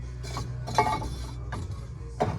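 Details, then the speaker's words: 1967 Ford F250 front drum brake (Dana 44) after new shoes and hardware, drum spun by hand: soft scrubbing swishes, only light shoe drag; adjuster needs turning out for a little more resistance. "You actually want a little resistance. But see, there's like, this drum's actually got to be freaking smacked on there, but I don't want to do it yet because I want to adjust it. But see, it's got a little drag. You want a little more than that."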